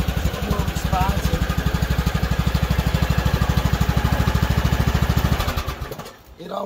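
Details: Craftsman T2400 lawn tractor test drive after replacing the drive belt: steady single-cylinder thump about three beats a second under load, even and unhesitating, belt pulling properly; normal drive.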